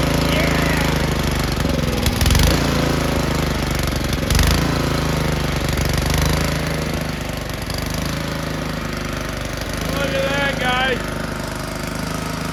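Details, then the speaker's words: Ariens two-stage snow thrower model 11528, sat for years, after carb blown out and cleaned, at full RPM; holds steady full throttle with an even beat and no surging or hunting; normal running. "It just needed the carb blown out. Wasn't that bad, but we cleaned it."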